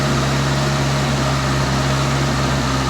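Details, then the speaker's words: 1984 Toyota Tercel 4WD, warmed up, carbureted, idling around 2,000 rpm (over 3,000 on choke) after dried, cracked vacuum lines were replaced: steady fast even hum; idle changes when the thermostatic vacuum switch base is sprayed, owner suspects that switch is stuck or bad. "it seems to me whenever i spray it right around the base of that thermostatic vacuum switch and it seems to change idles a little bit so wondering if maybe that thing's"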